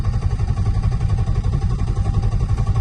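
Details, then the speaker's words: Turbo M50 BMW E30: deep lumpy idle rising and falling about three times a second, sagging so low it nears stalling and flashes the battery light; idle surging near stall. "Unless that was because obviously it was surging, but No, it's just because it was getting down to such low RPM that it thought it was stalling."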